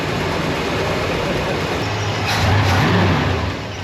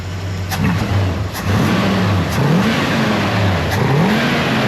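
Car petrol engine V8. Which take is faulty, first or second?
second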